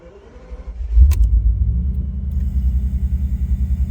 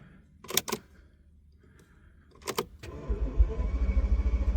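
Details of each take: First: Flood-damaged Bentley Continental first start after replacing the water-damaged immobilizer (Kessy) module, relay jumper toggled; short crank then catches and settles into steady even low idle, no misses or knocks; runs surprisingly well. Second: Flood-damaged Bentley with a cloned replacement immobilizer module fitted, batteries reconnected; starter churns the engine steadily about four seconds without catching, then stops. Cranks but won't start, cause unknown.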